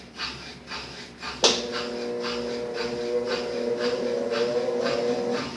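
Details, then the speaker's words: Brastemp 7 kg washing machine with auto-heating, after capacitor replacement: a click then a smooth steady motor hum at even pitch with no growl or straining, running perfectly; earlier the motor only droned without starting. "funcionando perfeitamente sem nenhum problema"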